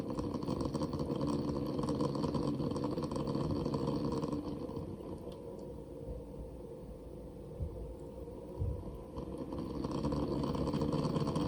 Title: Barrow Pump + CPU Waterblock combo rattling noise